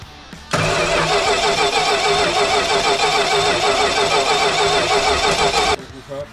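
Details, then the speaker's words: 1967 Dodge Coronet 440 with 318 V8 and ignition trouble cranks with even starter churning about three beats a second but never catches; crank-no-start, cause not found. "d'accord, donc nous n'avons pas pu le démarrer, donc nous devons essayer de descendre la colline et de monter sur la remorque"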